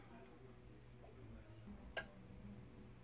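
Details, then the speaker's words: A+R boiler, demand on: final relay click in quiet room with no pump hum following, then F75 fault code appears; circulation pump failing to start, pump diagnosed as the failed part. "if it is cold to come on there's a fault call just come now sauce f75 so that's the fault f75"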